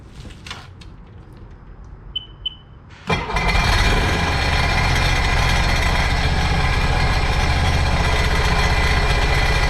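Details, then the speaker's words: Supercharged 2009 Sea-Doo GTX 215 jet ski, after replacing the cracked cylinder 3 coil: cranks, catches, then a rough idle with a skipping beat. Cylinder 1 still misfiring; owner guesses a clogged fuel injector. "Still missing. We are still missing cylinder one. So, let's check in here."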